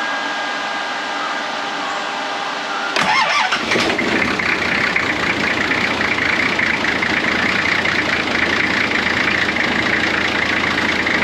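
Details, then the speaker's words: Nissan GQ Patrol, TD42 diesel, hard to start in cold weather, after fitting a new battery: short crank, catches near three seconds, then loud slightly uneven cold-idle clatter that later cleared up; glow plug circuit still to be checked. "well it did start off a lot easier with that nice new battery in it um did sound like a bit of a pig when it first idled but otherwise it's cleared up sounding mint now"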